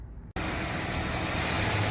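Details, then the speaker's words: VW Routan with wheel off and brakes removed, running in drive at idle, complaint of a worn-brake-like noise: steady dry rumble with faint rough hiss from the turning hub; worn wheel bearing. "voy a quitar de ella se puede escuchar mejor el ruido aquí para hacer esta prueba solamente le quite los frenos para eliminar el ruido de estas las minitas"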